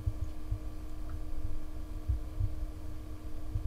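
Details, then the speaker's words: be quiet! Dark Power 12 750W 80 Plus Titanium PSU at idle, RX 470 and i5-6400 system, microphone about 10 inches away: only a faint, steady low hum, fan barely audible; normal quiet fan at idle. "And yes, the fan is on, but you can hardly hear the fan."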